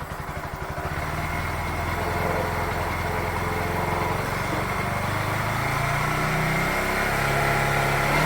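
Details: Bajaj Pulsar NS160 BS6 after cleaning its fuel pump of dust or water that caused hard starting and poor pickup; steady idle around 1,500 rpm climbs smoothly as throttle is eased open, no stumble or stalling.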